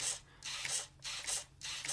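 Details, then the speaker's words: 3D-printed RC Humvee on its side on the workbench, steering turned after climbing tests: short high-pitched whirring bursts as the steering servo spins with nothing moving; the 3D-printed servo arm's inner threads are stripped. "you can hear the servo working but nothing's moving which tells me this little 3d printed servo arm is likely just stripped"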